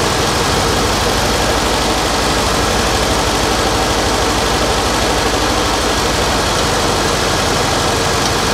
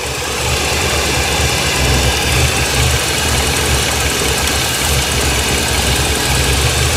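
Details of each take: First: 1989 Winnebago LeSharo RV engine, previously abandoned, at a steady even idle with no vacuum-leak hiss now; idle possibly set too low after the idle bypass valve was turned down earlier. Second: 1989 Winnebago LeSharo RV, warm engine: an uneven, lumpy, slightly hunting idle with a steady hiss. Brake cleaner revealed vacuum leaks from cracked hoses, expected to fix the rough idle.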